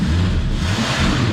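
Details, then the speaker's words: 1976 AMC Gremlin engine revived after 32 years sitting, revved toward redline right after starting, with the carb judged well dialed in: loud, deep roar held high with nothing knocking or missing; healthy free rev. "That's a good way to make a motor feel happy after sleeping for that long, is just redline it."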